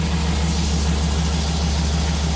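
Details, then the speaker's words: Chevy SSR idling, heard at the engine while hunting an internal engine noise; deep, smooth, quiet even idle purring like a kitten, no ticking, knocking or whine at this moment, normal idle. "just an engine it's just breathing that's it just breathing listen this exhaust that sounds good but it needs it needs to be a a lot louder a lot louder for sure come up here to the engine I want you to listen to this thing purrs like a kitten"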